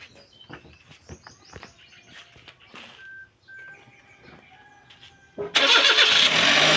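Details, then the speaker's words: Suzuki Palette wagon that had a belt squeal on start, returning a month after a new belt was fitted, after adjusting both belts: quiet yard with birds, then the engine cranks and fires into a clean idle with no belt squeal; normal start. "Soandar na guys siya walang langitngit. So in-adjust natin yung dalawang belt."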